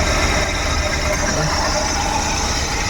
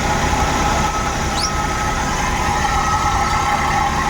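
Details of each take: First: Suzuki Every Wagon (DA64W) kei van with strong engine vibration, worse with the AC on, and a noisy tensioner bearing: a rough, uneven low thumping idle; misfire. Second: Suzuki Every Wagon (DA64W) after refitting the ignition coils and spark plugs (anti-seize on the threads), restarted to check for misfire: an even hum with a constant light whine, no skips; clean normal idle.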